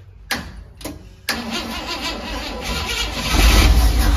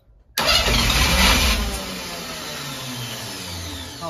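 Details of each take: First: 1971 International Metro Mite, AMC 232 engine, 3-speed automatic: a few cranking bursts, then it catches and settles into a steady low idle. It starts properly after the vacuum advance was capped off, having seemed to have too much timing. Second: 1971 International Metro Mite, AMC 232 engine, cranked on 24 volts with rebuilt starter: sudden loud pop as fast cranking kicks in, then rough settling rumble; backfire out the intake through an open hole left by the battery cable.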